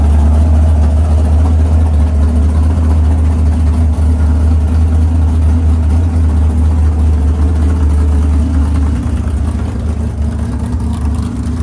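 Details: 500ci big-block Mopar 440 (built by Indy Cylinder Heads) in a 1969 Barracuda, first fire-up in the car: deep, even loping idle, turned down to about 1000 rpm, cam's choppy beat clear; healthy engine.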